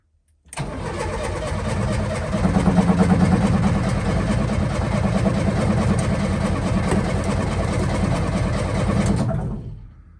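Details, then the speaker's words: Old Lada Niva, key on, wiring seemingly fine: starter churns steadily for about nine seconds with loose chuffing but never catches. Owner thinks it needs fuel; cause not confirmed. Cranks, no start. "Key is on. Nothing crazy happening with any wiring. Gonna have to get some fuel to it."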